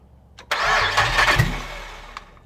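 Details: LS V8 swapped into Celica GT-SS, first start in car with temporary wiring harness and fuel tank, fuel pump heard priming: about 1.5 s of cranking that never catches then quiet; cause not confirmed; cranks but does not start.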